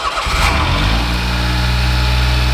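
Brief starter whir, then the engine fires promptly and settles into a smooth, even idle; starts cleanly and runs healthy.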